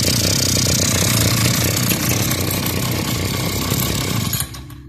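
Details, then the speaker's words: Two-stroke grass trimmer after repair, choke open: steady even buzz at a settled low idle, no surging, then shut off; previously it would not idle and raced at very high rpm; now normal idle. "ยนต์เดินอยู่ในรอบเดินเบานะครับและเป็นปกติก่อนหน้านี้มานี่รอบเครื่องเร่งแบบสูงมากเลยนะครับ"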